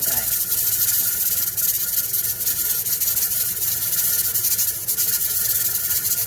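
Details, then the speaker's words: Pressure canner of potatoes on a gas stove settling at about 12 lb for a 40-minute process; steady loud steam hiss with soft, uneven chuffs as the weight rocks; normal venting. "yes we need to listen to that noise for the next 40 minutes it looks like mine's going to sit at about 12"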